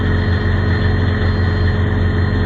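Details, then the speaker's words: Plugged-in transport truck diesel started right away at minus 37: steady low cold idle with a thin constant whine on top; everything is whining and stiff from the cold, left idling to warm up. "Everything's whining. I don't know if you can hear it whining."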